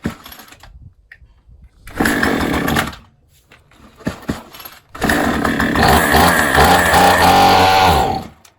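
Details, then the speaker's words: Troy-Bilt string trimmer, primed: catches and buzzes briefly, cuts out, fires again and revs before fading; it runs only on primed fuel because the carburetor is missing its O-ring, causing an air leak. "It's only going to run while the fuel's there, and then that's it. Because it can't pull any more fuel in."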